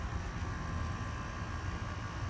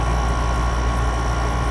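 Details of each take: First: GE 5000 BTU window air conditioner (Quingen compressor, R410A) that had run 24/7 with algae growth from condensate. Steady low compressor hum with vibration shaking the camera and a faint, very slight squeak or screech; cause unclear. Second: Haier 5,000 BTU window air conditioner HWR05XCK-L, owned since about 2011; lights dimmed as the compressor started and its tubes ice up a little: steady low hum under an even whoosh with a faint high tone, no rattle or surging; compressor running normally.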